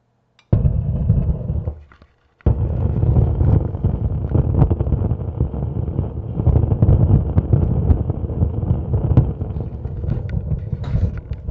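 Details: SUB-TS15 subwoofer with no signal: irregular deep rumbling and popping because aged dark brown glue on the preamp boards turned conductive; fixed by removing the glue.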